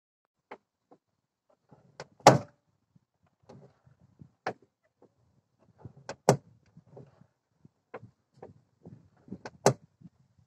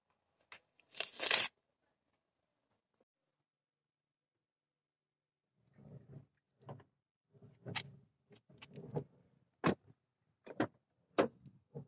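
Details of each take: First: Car door check strap: loud irregular clunks and knocks as the door swings, jumping at the detent when opening or closing; door check strap seized and worn out. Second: Car passenger-side door after freeing the seized door check strap: it swings open and shut with light, crisp detent clicks and no loose clunk or creak.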